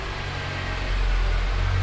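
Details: 2007 Honda Accord 2.4 idling after new O2 sensor fitted for misfire code that previously returned immediately after clearing; quiet even hum, no stumble or miss; smooth healthy idle, no codes or check engine light.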